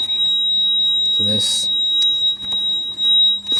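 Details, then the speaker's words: 2003 Mitsubishi Lancer with no crank and no start, and a blown 40A ignition fuse. A fuse saver in its place reads 0.9A, then about 65A with the ignition on, and a steady high-pitched buzzer sounds. This indicates overcurrent from a short to ground on that circuit. "well now turn the ignition I'm seeing like 65 amps and you hear the buzzers basically going off right"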